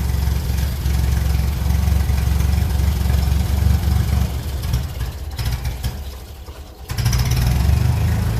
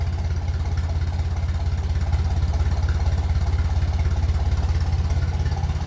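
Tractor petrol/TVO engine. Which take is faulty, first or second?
first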